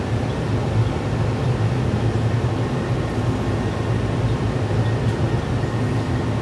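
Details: GTX 1060 6GB card in a mining rig after its fans were cleaned or replaced (they had been noisy and shaking): a smooth, constant whir with no rattle, scrape or wobble. The fans are running normally.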